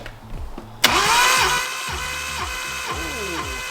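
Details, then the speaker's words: Nissan R32 blown engine during compression test (cylinder one 150 psi): uneven, dragging starter cranking that sags toward the end as the battery runs down, weakening readings; results otherwise looked good. "Obviously, you can hear the battery dying towards the end, so it wasn't pushing [music] it up as much, but we're fairly confident that was down to the battery."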